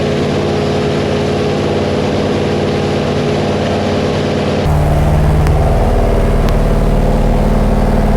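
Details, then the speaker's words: Big-block Chevy 489 V8 on a dyno with hydraulic lifters, freshly built, timing set near zero: it idles, then picks up slightly, with a fast steady tick about 220 a minute; adjustment is correct but one lifter has bled down empty. "Your adjustment is good, but your lifter is empty. Yeah. That's your noise."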